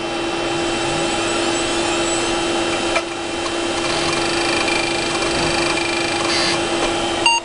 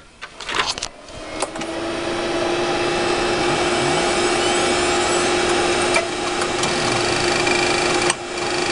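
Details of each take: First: Western Digital Caviar 21200 1GB IDE hard drive, restarted before it fully spun down: steady spindle hum with light, quick seek chatter and none of the usual repeated click. A normal startup seek test. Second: 1 GB Western Digital Caviar 21200 IDE hard drive in old computer at power-on: a metallic clink during seek test then steady spin-up hum, new in recent days; owner fears click of death, though surface scan found no bad sectors.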